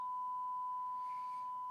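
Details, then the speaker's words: Grundig 3160 tube radio, audio amplifier stage after restoration, B+ at 220 volts, fed a test signal with the volume raised; a clean, steady tone with no hum, crackle or distortion, so the amplifier is working. "now I'm increasing the volume and I can hear it and I can see it"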